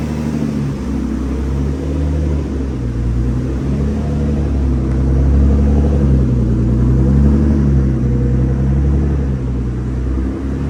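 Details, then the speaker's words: Very high-mileage Infiniti G35 on first startup after twin turbo install and base map ECU tune: smooth, even, deep idle with no knocking, ticking or stumbles; heat wrap smoking on both sides; normal idle. "So far so good, running pretty smooth."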